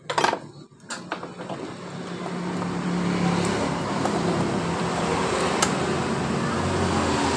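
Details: Yamaha Mio M3 scooter that was hard to start and stumbled or stalled on initial throttle: after cleaning the injector with carburetor cleaner, with fuel pressure at a normal 40, a few clunks at startup settle into a steady, even, clean idle.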